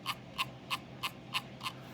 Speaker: the scrolling on this Mouse um you can kind of hear it rattle